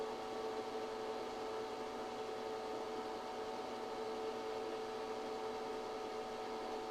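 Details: ChocoVision Revolation 2 chocolate tempering machine, melt point set at 108°F: quiet, steady motor hum with a constant faint tone and no surges or rattles, running normally while the chocolate melts.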